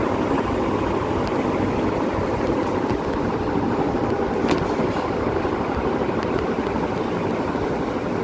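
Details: Vision Super fan running, not cleaned: steady even hum with airy whoosh, no knocks or rubbing; humming noise.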